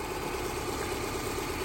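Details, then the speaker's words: 2008 Subaru Impreza, 211,000 miles, failed ignition coil with two spark plug wires off: rough, lumpy idle with an uneven stumbling beat, misfiring while running on only two cylinders; shook and lacked power when driven. "but here it is running on two cylinders you can tell it's misfiring but uh pretty impressive with just running on two cylinders"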